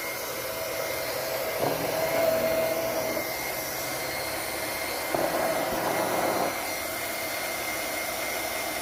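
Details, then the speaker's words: Liberty Model 331 pump after repair, with shaft and centrifugal impeller reassembled, first run unprimed then primed. Even, steady motor hum with a faint whine and brief flow surges, much quieter than before. Finding: normal pump operation. "Much quieter."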